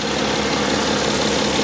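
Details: 2012 BMW X5 3.0 diesel AWD after the EGR cooler repair, no fault codes: steady, even idle with a smooth unchanging note and no knocks or misses. Healthy.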